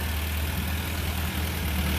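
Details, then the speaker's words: 1975 VW Scirocco stored 34 years, warming up after cleaning the idle jet, with three vacuum leaks and a drippy accelerator pump found: steady, smooth idle around 800 rpm with no misses or knocks. Normal idle. "idling about 800 pretty good another warm up here a little bit see if the fan comes on"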